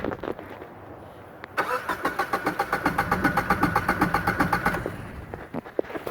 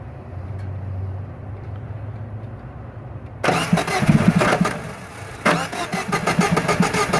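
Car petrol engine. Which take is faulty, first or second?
second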